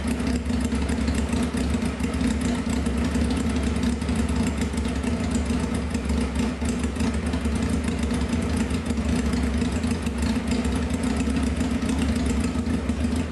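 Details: 1995 Honda CBR F3 first start after sitting, wet plugs, fuel spraying, no muffler: loud raw idle holding steady, slightly lumpy; very rich running.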